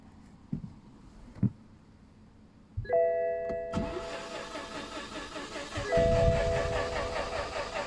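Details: 2013 BMW 318d 140hp turbo diesel that drove fine, then an hour later won't start: the starter spins steadily for several seconds with a warning chime but never catches; battery doesn't seem low. Crank, no start.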